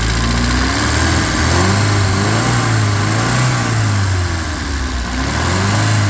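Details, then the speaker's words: 1967 Alfa Romeo Giulia Sprint GT Veloce, 1600 engine on 98 unleaded, freshly completed and not yet properly tuned or timed: steady, slightly loping idle that sits a bit low, a little tappety from noisy cams, no smoke. "no smoke. It's idling a little low, but overall we're pretty happy with it. So you can hear it's a little bit tappety, and these engines are known for being a little bit noisy in the cams"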